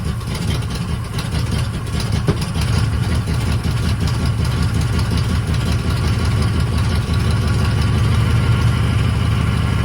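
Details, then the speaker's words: 1980 Chevy K30 squarebody small-block 350 V8 after a new starter solenoid, choke worked by hand, engine still cold with water in the radiator: deep, even rumble with a steady low beat and no misses or knocks. Normal cold idle. "Yeah, so it's still cold, but there's actually water in the rad, right? Yep. Cool."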